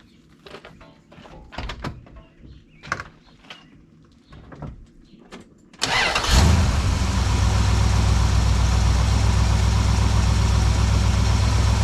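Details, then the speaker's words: 1972 Plymouth Valiant 318 V8 with corrected Holley 600 four-barrel refitted after a rich-running fault: clicks and handling noises, then cranks, catches quickly and settles into a steady, even idle, much better than before. "there we go oh that's much better"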